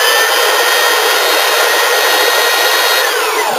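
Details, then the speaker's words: 503 belt sander after the rebuild, oiled and belt checked: runs up to a steady high whir with smooth belt noise, then winds down evenly; belt tracking fine, no rubbing, ready to go. "beautifully so this sander here is ready to go"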